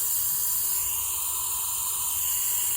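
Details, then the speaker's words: VW GTI 2.0T engine, leakdown test: steady high hiss of air, engine not running, much air escaping through exhaust and a little through intake; every exhaust valve leaking, head to be pulled. "I've never seen every single exhaust valve leaking before"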